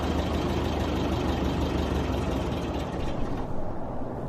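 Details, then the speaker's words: High-mileage 1989 Isuzu Trooper petrol engine, cold, idles roughly then sags and dies: a failing idle air control valve. PB Blaster soaking was tried first, then the valve was replaced. "you see my car is unable to idle while cold and that's a problem it's also one of the telltale signs of a failing idle air control valve"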